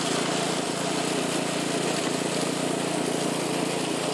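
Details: California Trimmer mower, single-cylinder engine, after the carburetor was fine-tuned to stop surging, mowing dead grass under load; steady, even drone holding speed with no hunting or surging; healthy.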